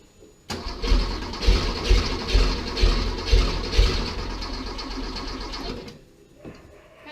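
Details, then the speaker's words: Porsche 911 after 10 years of storage, with a new fuel pump and filter, a cleaned tank and a temporary fuel supply hose: it cranks for about five seconds without firing; owner suspects the fuel injection line needs bleeding. "Well, it's gonna have to bleed out the fuel injection line."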